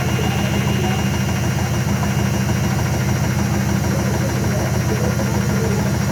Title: IFB WASHING MACHINE MAKING VERY LOUD NOISE WHILE SPIN CYCLE